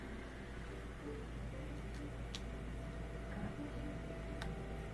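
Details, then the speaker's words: Miele dishwasher with F08 error, after repair, filling and circulating: low steady pump hum with water swishing runs continuously instead of cutting out every ten seconds as before; normal circulation pump operation. "so before would circulate for about 10 seconds and then cut out rest 10 more seconds cut out rest but i think it's continually circulating now as it fills up more water we should hear it shooting around even more and more"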